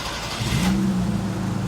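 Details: 1985 Toyota Tercel SR5 wagon after repairing a failed fuel pump connector, timing advanced about 25–27 degrees: short crank, engine catches cleanly and settles into a smooth, even idle with no misses or knocks; healthy start.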